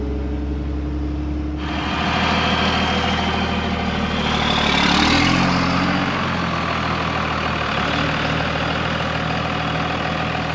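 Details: Second-gen Dodge diesel flatbed pulling a gooseneck trailer, driver winding it out through the gears: diesel rumble builds under load while a thin whistle rises above it, a normal turbo spooling up.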